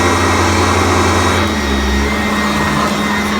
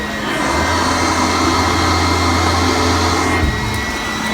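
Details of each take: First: Upright vacuum running on carpet with brush height reset to setting 2 after a lower setting whined and struggled: smooth steady motor hum, only a faint brush whine, still pulling on the carpet, normal running. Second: Upright vacuum running on carpet with its brush height set too low: thin high whine over a strained hum, motor struggling and not working the carpet; raising the setting back to 2 made it much quieter and smoother.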